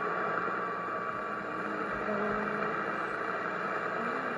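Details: 1960 Zenith X519 clock radio after repair, tuned to a faint AM station without the antenna tuner: a steady hiss and static with barely audible tones, weak reception from poor band conditions.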